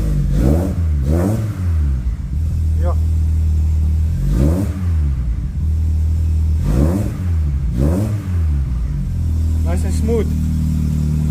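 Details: Two-door car repaired for a no-start condition, aftermarket fuel pressure regulator on fuel rail, after fitting a new tighter part and plug: engine catches and revs cleanly a few times, then drops to a steady even idle; running fine.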